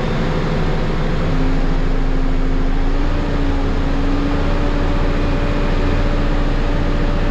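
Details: Cummins ISL9 after an in-frame rebuild for dust damage, with a retrofitted truck-style fan, at idle. A deep, steady, smooth low beat with a faint fan hum rising slightly in pitch; it charges and has good oil pressure: running clean.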